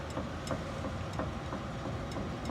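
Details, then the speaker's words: Dull clunks roughly twice a second as steering wheel is rocked, knocking felt inside the rack and pinion, not leaking; worn lower control arm bushings also noted; internal steering rack knock. "lo hace en la parte de adentro del rack en piña. Él no es que está liqueando."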